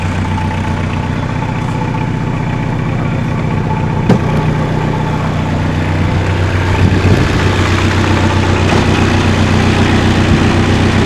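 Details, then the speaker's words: 1979 Volkswagen Rabbit (US-market Mark I Golf) 1.5-liter diesel just started: steady, even diesel clatter with a regular firing beat and no knocks or misses; healthy idle, engine in good shape. "Purrs like a kitten. So, it has a 1.5 liter engine, and as you can hear, it's a diesel."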